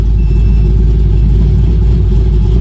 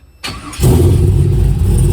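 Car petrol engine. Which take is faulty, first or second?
first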